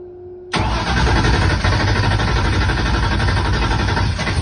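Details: Mustang drag-racing car with a mechanical fuel pump, fuel just added, cranked on low: the starter spins the engine at a steady rhythmic churn for about four seconds but it never fires; cranks but does not start.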